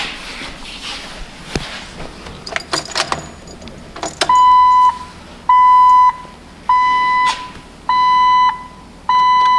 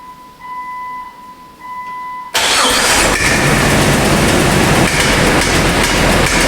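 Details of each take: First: Sludged, worn Jeep engine just after the unseated pushrod was reseated, before adding Seafoam: starts and settles into an even idle; the valvetrain tick is gone and it sounds healthy. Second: Jeep engine with a poorly maintained, heavily sludged, worn history, started cold before warm-up and Seafoam: loud running with a sharp, fairly even valvetrain tick from a pushrod unseated from its rocker for the third time; owner suspects sludge.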